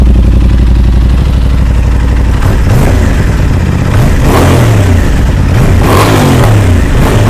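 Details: Crash-damaged 2023 Aprilia RS660 during rebuild, first start since acquired, coolant just added: crisp engine blipped up and down, pitch rising and falling cleanly with throttle, no knocks or rattles; normal, healthy revving.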